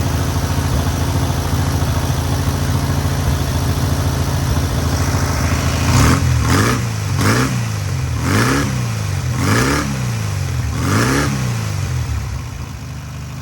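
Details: Newly rebuilt air-cooled VW 1600cc flat-four on its first start and break-in: steady idle, then six clean throttle blips rising and falling smoothly; normal, free-revving running.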